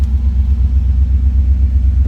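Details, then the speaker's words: 1982 Chevrolet Camaro Z28 Indy 500 Pace Car, 305 V8 with Crossfire injection, automatic with overdrive, 1,401 miles. Cold start idle: deep, steady, even rumble with no knocks or misses. Sounds normal. "Sounds as you would expect. 1982, of course, crossfire injection put in this car."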